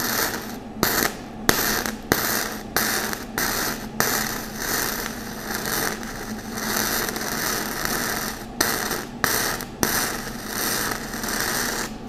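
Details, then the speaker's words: Flux-core welding with voltage turned all the way up and wire feed speed low: irregular hot crackle breaking into gaps and pops instead of a steady sizzle. It burns in well but the wire feed is insufficient. "so that's what it sounds like if your volts are really high and your wire speed is too low that wire just kind of trickles out and and doesn't do much"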